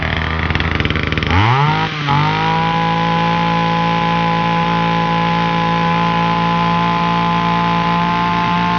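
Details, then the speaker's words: Titan combi multi-tool two-stroke trimmer, cold start with primes on a newly fitted cheap carburetor, attachment on: it catches, revs briefly, then holds a steady buzz with a slightly high idle. Blades turn at idle; the idle screw needs backing off. "Good. That's fixed. Okay. Super happy. That carburetor cost I think uh6."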